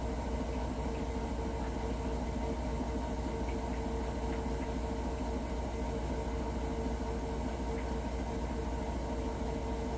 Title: can anyone tell me why this Hotpoint Nswr making a weird noise